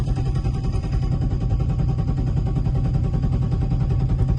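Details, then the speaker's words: BMW E30 with a turbo M50, standalone ECU, fuel pressure 50, which stalled on its own while parked: a steady starter churn of about three and a half compressions per second that never catches; owner suspects the crank sensor. "I'm just parked here and it's stalled on its own and I'm cranking it and it won't start. Let's see if it starts now."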